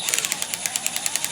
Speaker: you can hear that clicking that clicking means it's not trying to drive the screw in farther so that's the advantage of the cordless over the electric it has a clutch